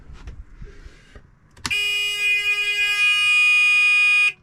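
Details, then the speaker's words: Volvo Penta boat engine, new low oil pressure switch wired to buzzer: after a click, harsh steady buzz for about 2.5 seconds with ignition on, engine stopped, as intended; should stop once engine starts and oil pressure rises. "That's horrible. So that's that. That buzzing should go off as the engine starts and my oil pressure comes up."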